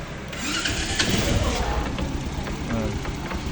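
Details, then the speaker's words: Rusi DL125 125cc single, 528 km on it: runs rough with an uneven clacking knock buried in a loud rattle; owner identifies a failed side bearing, a recurring fault on this engine. "May lumalagatok. Yan. Yan. Bali, tatlong beses na ako na ganito yung troubleshoot ng DL125 na side bearing yung sira."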